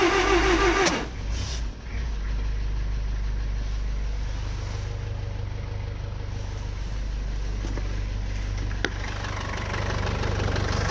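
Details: 2002 Nissan X-Trail 2.0L petrol: starter churns steadily about three to four beats a second for ten seconds but never fires, despite working fuel pump, fuel spraying from plug holes, good spark and battery; crank no start.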